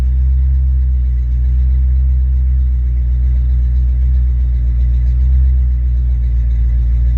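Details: Ford Mustang mass-air car with a rebuilt A9P ECU at closed-loop idle around 800-900 rpm: a steady, even low rumble with no misses, knocks or hunting; normal idle.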